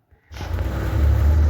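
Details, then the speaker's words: VAZ (Lada) engine just after a manual valve clearance adjustment, clearance about 0.2 mm: deep, even rumble, near-silent with no top-end ticking. Owner wonders whether the valves may burn. Normal idle. "Тут дощ просто шепче. Може прогорять, але реально не чути прям."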